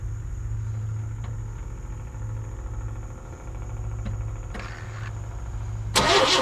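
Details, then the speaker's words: 1998 Chevy C1500 work truck: steady starter cranking at about three turns a second with no firing; the coil gets power but gives no output, so a bad ignition coil is suspected; crank, no start. "again I got nothing out of the coil so I got no power coming from the coil so I wonder if we got a bad coil"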